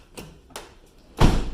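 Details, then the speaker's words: Van door after being adjusted by closing it on folded cardboard to stop it grinding on the fender: two light latch clicks and a solid thud, no scraping; door no longer touches the fender. "you can see it's not touching anymore now hold it again"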